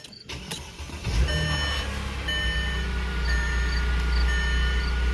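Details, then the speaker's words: 2006 Mercedes ML350 after fuel pump replacement: short crank, then engine catches and settles into a smooth, steady idle with the pump heard running; starts cleanly. "fun running and I hear the pump pumping away"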